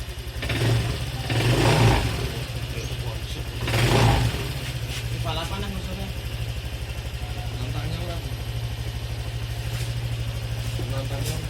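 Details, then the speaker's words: Honda Vario 125 FI scooter after a tune-up; it sounded rough on arrival. Now a steady, even idle settles in after a couple of throttle blips, with no misfire or rattle. Normal healthy idle. "Ini udah dicoba tadi saat datang suaranya cukup kasar juga nungkup halus ya stasionernya juga oke ada permasalahan tersebut dhomirnya juga nggak ada berarti semuanya aman-aman saja enggak ada permasalahan"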